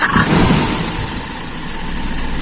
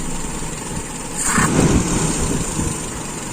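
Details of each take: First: Carburetor with a very small idle jet, idle mixture screw closed back one turn: short clip of a steady, even idle after a throttle blip, settling with no hunting or stumbling and no drop on throttle release; mixture set right. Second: Carburetor with a very small idle jet, idle mixture screw turned in too far: idle sags and surges about every three seconds, uneven and near stalling; idle mixture too lean.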